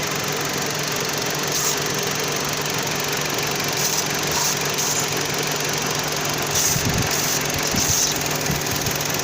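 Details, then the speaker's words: 2009 Dodge Journey in for rough idle, overheating and OBD2 codes: brake parts cleaner sprayed around the intake at idle makes the engine run really bad and change RPM, indicating an intake manifold gasket vacuum leak. "See it running like that? Now it's running really bad. Now it's changing RPMs."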